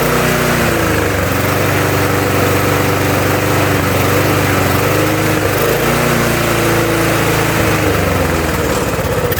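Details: Murray mower, Tecumseh engine swapped for a Briggs (stated as "brace"), on a replacement carburetor after the first was cleaned four times including ultrasonic: pitch drifts and surges instead of holding steady; uneven hunting idle, cause not found.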